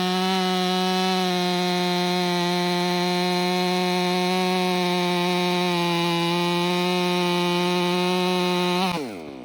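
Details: Ported Stihl MS500i (Empire Workshop) with a new MaxFlow Pro Series air filter gives a loud, steady high note that holds speed through the cut, then drops cleanly as the throttle releases; normal, healthy cutting under load.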